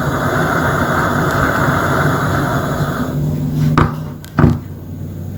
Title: Gaslicht Lamp making popping noise